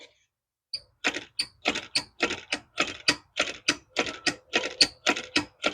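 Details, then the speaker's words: Lawn mower after a carb rebuild, starting but running badly, lid off with the mic close: quick scratchy clicks about three a second with thin squeaks, showing the choke mechanism dragging inside the engine. "You hear that little squeaking noise? That tells me that the choke is dragging."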